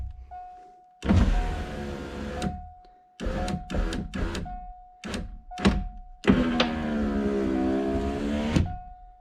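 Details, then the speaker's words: Ford Thunderbird driver's side power window after replacing worn window motor assembly bushings with Supercoupe Performance kit: even motor hum in up and down runs, clean thunk at stop, no binding or grinding. "All right, here we go. Nice. That's a fast window."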